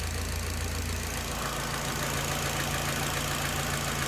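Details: Nissan 240SX S13 SR20DET, warm idle, 15° timing, AAC 10%, O2 sensor locked rich: steady low rumble with slightly uneven, lumpy beat; rich idle, cause not confirmed despite many parts replaced.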